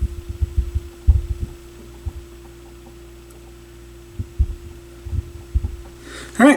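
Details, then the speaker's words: Sony PS-X70 turntable with an intermittent hum and one lost channel, played through a garage stereo. After swapping channels, sound returns from the other side but the steady mains hum gets worse; the RCA output cables are suspected. "so now we have sound back out of the other channel but that's a that's a worse hum"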